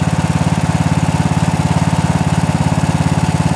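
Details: 1998 Craftsman LT 4000 lawn tractor, 15.5 hp Briggs & Stratton OHV single-cylinder, after first start of season: even putter about three beats a second holding steady pace; owner notes slight oil use, maybe valve cover gasket leak — normal idle.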